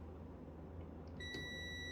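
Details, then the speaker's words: Brand-new air conditioner contactor on a multimeter continuity test: quiet hum, then a steady high beep starts once the contactor button is pressed; contacts close properly, contactor good (coil later reads 17.2 ohms). "I'm gonna check for the continuity. See, good. Now this one, not supposed to hear it until I push that button."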